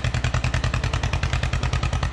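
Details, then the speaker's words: John Deere 440D antique dozer diesel: steady, even chuffing about ten beats a second with no misses or knocks; running normally, starts every time. "good running a little machine I tell you it starts every time"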